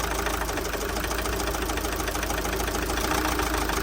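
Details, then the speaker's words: Opel Zafira B 1.9 diesel, 400,000 on engine, won't pull below 2000 rpm; idle with harsh, uneven clatter and no smooth rhythm as one injector is disconnected in a cut-out test, cylinder dropping out. "Ану давайте спробую ще раз завести дивіться третя форсунка відключена машину завів машина працює можу заглушити"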